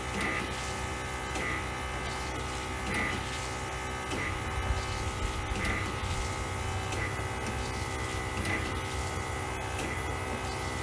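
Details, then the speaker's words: 1936 Chevy Coupe vintage vacuum wiper motor after a modification for more suction: constant pump hum with a light tick about every 1.5 seconds as the wiper sweeps; it works. "i mean come on vintage technology and it still works kind of with a bit more suck right"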